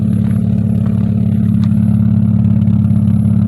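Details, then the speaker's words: 2001 Hyundai Tiburon at idle after fitting an OBX exhaust with catalytic converters cut off, O2 sensors not yet connected, radiator not yet installed: smooth, even idle with a soft steady pulse and mellow low exhaust note, no ticking or rattling; really quiet, healthy. "this thing is really quiet definitely heck yeah it is really quiet guys"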